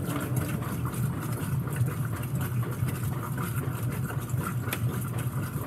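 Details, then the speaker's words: Whirlpool WTW5300SQ0 top-load washer after new timer fitted, agitation: steady low churning hum with even swishing, no knocks or grinding; quiet and agitating smoothly. "so yeah it's pretty quiet it's pretty quiet"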